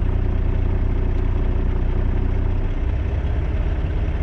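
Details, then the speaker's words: 2018 Volvo VNL760 diesel truck idling at 600-650 rpm with a deep uneven throb and vibration from too-low idle; raising idle to 700 rpm with a wooden throttle prop made it run smoother. "that took me to 700 i really don't want to be that high but hell i ain't got to pay for the gas and the truck is running smoother so i'm gonna leave it there"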